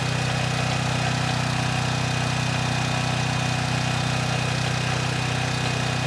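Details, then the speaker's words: Troy-Bilt 6000 W generator, bought with a running engine but no power output, after repair: steady, even engine drone with no surging, misses or hunting while holding 240 V at the 240 outlet under a 3000 W load for 15 minutes; runs healthy. "I ran it for 15 minutes. We had 240 volts on the 240 outlet, and I had a 3000 watt load on during that time, and it didn't miss a beat."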